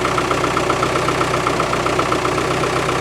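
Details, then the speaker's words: Land Rover with Isuzu 4BD1T diesel, cold start at -4°C on the cold-start choke, single silencer: even, steady clatter at a fast cold idle, about four beats a second, with no misses; normal, with diesel smoke when cold. "it always smokes when it's cold and it's like diesel smoke it's not oil it's not bad for noise is it considering it's only got one silencer"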